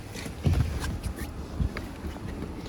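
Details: 2018 Acura TLX V6 A-Spec at 110k idling with heavy dull knocks, rod knock starting after a dealer oil change; engine done, short block replacement.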